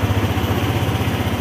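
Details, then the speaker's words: Motorstar ADV 175 scooter, about 1,419 on the odometer, that would not start despite a good battery; after cleaning a dirty, non-contacting switch with spray it starts and idles with a quick, even single-cylinder putter, no misses; normal idle. "Tapos switch natin. Ayan. Oh ayos na. Paandar na yun guys."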